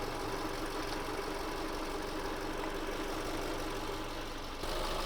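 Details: 2008 Subaru Forester SH9, EJ253 engine, 4EAT, after heater hose replacement and coolant bleed, cap on: steady even idle, no misses or knocks, radiator fans hissing; normal idle.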